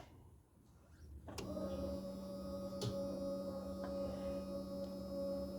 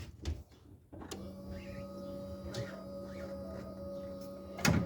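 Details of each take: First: 1987-96 Ford F150 carb swap: factory electric fuel pump wired with its side grounded, a click then a steady hum as the pump runs continuously with key on; relay clicks when the key is cycled. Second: 1987-96 Ford F-150 with carburetor swap, factory fuel pump rewired with a ground: a click as the relay engages, then a steady low electric hum of the fuel pump priming and running normally.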